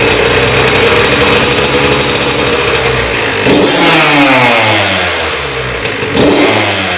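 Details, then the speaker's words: Honda CR80 two-stroke after cylinder head, studs and gasket replacement for coolant leak, first test run: crisp crackle revving up and dropping back cleanly, no misfire or knock; running healthy. "I'm gonna start it up, let it run a little bit, turn it off, let it cool down, check the coolant level, top it off if it needs, and then start it again and see what happens."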